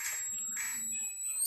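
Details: Polytron CRT TV, chassis brought in without the picture tube, completely dead: thin, high-pitched chirps come in short bursts over a faint steady whine from inside the set; fault location not yet known.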